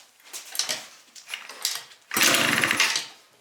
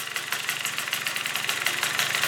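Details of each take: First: Yamaha Vino scooter, small two-stroke freshly fitted with a cheap 70cc big bore kit, carb, new plug, coil wire and V8-style exhaust, first start: raspy spitting bursts when blipped; major exhaust leak, later fixed by swapping the exhaust gasket. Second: Yamaha Vino scooter two-stroke with new 70cc big bore kit, fresh plug and new coil wire, first start late at night: quick, even, crisp idle with no spitting; normal idle.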